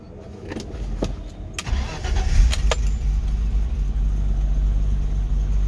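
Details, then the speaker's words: BMW 325iX cold start, ambient about 74°F, engine block 67°F: few clicks, short crank, catches cleanly and settles into a smooth, even idle; healthy cold start. "Okay, here's the 325iX cold start video. Ambient temperatures around 74."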